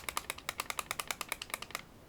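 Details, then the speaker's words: VooPoo Drag 3 vape mod with batteries removed: quick light plastic clicks, about nine a second, as the unit shakes and the loose empty battery door rattles; no rattle once batteries are in. "It is a little bit loose, and I was a little bit skeptical about this battery door being tight as it is with batteries in."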